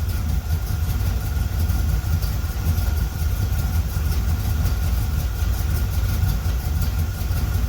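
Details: 1976 Corvette Stingray V8 first run in 8–10 years, fresh filter, idle screw turned up, warming up, oil pressure good: deep, even burble with a steady low throb and no knocks or misses. Fired right up and ran pretty well.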